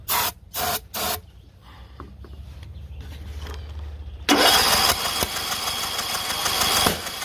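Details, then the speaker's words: John Deere L108 lawn tractor after sitting about a year, fuel added: short cranking bursts, then ragged sputtering running that sounds choked; hard starting and sputtering. "Got the thing on high throttle and it sounds like the thing is choked. Going have to let it run a while. Sounds kind of shitty."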